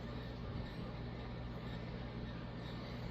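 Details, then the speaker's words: Vintage Casablanca Victorian ceiling fan, K63 motor from late 1970s/early 80s, on high: quiet steady low hum, no ticking, rubbing or grinding; runs smoothly, slight wobble blamed on flywheel. "I think the K63s are from like the 70s. I don't know, maybe early 80s for its age. It's still a good runner."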